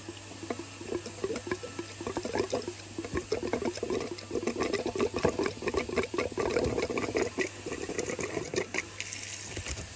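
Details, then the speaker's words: Range Rover Evoque won't start after fuel filter change, airlocked; in-tank lift pump too weak to clear it. Connector removed at high-pressure pump feed while pressurising tank: irregular gurgling, spattering trickle over low hum as fuel pushes through line, clearing airlock. "what will happen is you'll hear the fuel coming through and as soon as it reaches the connector replace the connector and try to start the engine"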